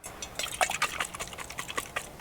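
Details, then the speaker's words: 1968 Ford F100, 360ci V8, 4-speed: faint irregular sloshing with light ticks from carburetor float filled with fuel, sinking so fuel poured out of the carb, flooding it; started barely and ran badly. "There's fluid and there's gas in here, and so I didn't film when I was having the problem, but I filmed afterwards when I fixed that, so I'll show you that here in a second."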